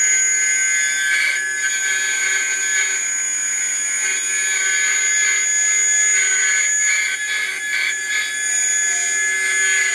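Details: Atlas launcher gyro rotor powered with 115 V AC across terminals A and B with a 270 nF capacitor: steady high fixed-tone whine with rough buzzy edge; very noisy at full speed, cause unclear.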